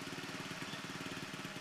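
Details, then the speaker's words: Honda Beat carburetor scooter that has snapped its CVT drive belt four times, idling with CVT cover off: steady fast idle with dry scraping rasp when probed by screwdriver; rear sliding pulley wobble. "untuk bagian puli belakangnya Ini ada kendala ya ada kendala lain setelah saya cek menggunakan obeng seperti itu ada bunyi sk-srekan Ya Itu menandakan bahwa terjadi keolengan yang ada di slider ya itu teman-teman ply sliding"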